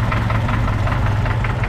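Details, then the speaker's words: 1981 Opala Comodoro 4-cylinder engine, a used unit fitted to this car, began knocking after a good while in service: steady tapping knock over a rough idle, keeping time with engine speed. "ouviram aí um toque toque é o barulho que tá apresentando nesse motor e agora a gente vai desmontar ele passo a passo para encontrar e identificar esse barulho beleza"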